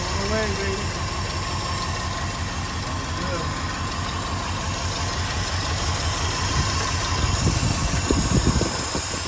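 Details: 1967 Ford F-350 Custom truck, sat for years, restarted on its old uncleaned points; fired right up with a steady, even low V8 idle, no misses or knocks; carburetor accelerator pump diaphragm leaking badly.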